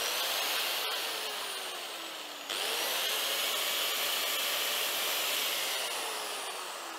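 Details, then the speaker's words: Hitachi G10SR3 angle grinder after wiring repair, cover on: smooth steady high-pitched whine, brief dip and even spin-up, no cutting out; running normally. "beautiful that's that's good there's no issues now with the wiring"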